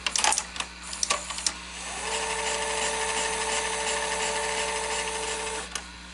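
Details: Sony SL-S600 Super Beta VCR in rewind: a few clicks, then the motor spins up to a smooth, steady whirr and stops. Rewind is normal, though a pinch roller or capstan bearing problem is suspected elsewhere.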